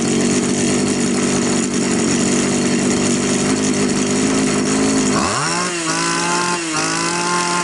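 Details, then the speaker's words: Champion T266 trimmer, which had been hard starting and stalling at idle, after raising the idle screw on a carburetor with no fuel mixture screw: high buzz drops to a slightly wavering idle that keeps running; idles normally. "в принципе нормально триммер работает хорошо"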